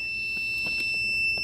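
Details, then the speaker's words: Adjustable normally closed pressure switch (QPM11-NC) for a boost cut, tested on a homemade boost leak tester with a meter: steady high-pitched continuity tone before pressure is applied; switch closed, normal continuity beep. "I'm gonna put this in it's gonna beep you'll see here that will will hear the buzzer continuity buzzer meaning that it's normally closed it has contact"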